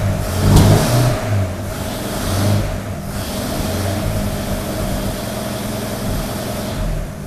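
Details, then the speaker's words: 1932 Nash 990 Series after tune-up with new points, not yet warmed up: quick throttle blips settle to a fairly steady idle without popping or stumbling; running much better than before. "well that's a lot better does it actually idle better well it needs to get warmed up yeah yeah i can tell big difference i could it sounds great"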